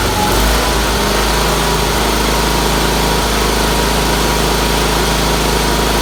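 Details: Red Roper with BFM twin engine, running after fitting a fuel filter, finishing the fuel line to the fuel pump and refitting the carburetor pulse line; owner suspected a weak fuel pump earlier. Steady, even idle with no misses or knocks, running good after a little tuning.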